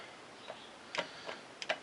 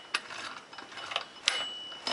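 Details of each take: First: Scrambler ATV transmission with metal-laden fluid, in drive with the output held while the input shaft is turned by hand: sparse, irregular light clunks (about two a second) from play; a slack primary drive chain is suspected. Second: Scrambler ATV transmission, opened after metal found in fluid, shifted by hand with vise grips into forward, neutral and reverse: crisp separate metallic clicks, no grinding; normal gear engagement.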